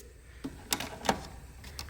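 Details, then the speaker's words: 1988 BMW E34 525i (M20, five-speed) barn find with a non-working fuel pump: the fuel pump relay, removed, gives crisp clicks when power is applied, so the relay is good; the pump itself is still to be checked. "so i took the fuel pump relay out and you can hear that the relay's clicking when you give it power so the relay is working and it's good"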